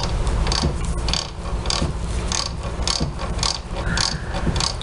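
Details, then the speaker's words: Whirlpool washer transmission during spin: rhythmic scraping rub about once a second; worn plastic cams fail to lift the pinion, which rubs the lower shaft splines; holding the agitator still stops the noise. "por eso cuando estás centrifugando y yo detengo el agitador con la mano se le quita el ruido porque estoy frenando el eje Entonces no hay roce"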